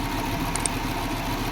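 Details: Audi 100 idling after head gasket replacement (burnt gasket at cylinder 4 had caused a tapping noise); short steady idle with even low rumble, no knocking or misfire: normal idle.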